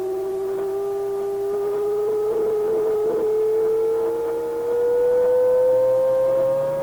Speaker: If I go too far, it flips into oscillation on its own. It becomes another oscillator. So I think that's the problem there. That's why we're getting the howl.